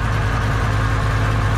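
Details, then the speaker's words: Supercharged Camaro with a big cam, just fitted with MSD spark plug wires: loping, choppy idle with a blower whine over it, firing on all cylinders per header temperatures; normal for the big cam. "blower sounds like poo literally sounds like it's eating itself it is what it is but we're firing on all cylinders currently"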